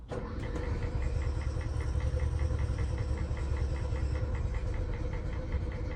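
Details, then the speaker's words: RV toy hauler onboard generator cranked off a jumper pack after priming: slow, labored turnover with dull low churn and faint regular ticking, never catching; smells of old fuel, hard start, caught on a later try. "let's see if we can get the generator to fire we won't even have to plug this thing in all right there's the primer that doesn't sound good"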